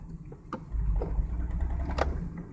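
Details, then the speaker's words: 2001 Ford Mustang at low rpm under half throttle in fourth gear: lumpy, stumbling run with sharp pops, shaking like three cylinders; misfire under load, backfire heard, improves above about 3000 rpm; cause undiagnosed. "see let's hear it oh it's pretty clear it's misfiring pretty badly it's pretty pretty bad"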